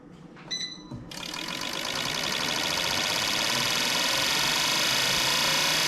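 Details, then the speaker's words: Fuel injectors on bench testing unit before rebuild, high-speed accelerating test: after beeps, rapid crisp evenly spaced clicking that never skips; injectors firing cleanly. "Okay, here's another test. High speed. Accelerating test."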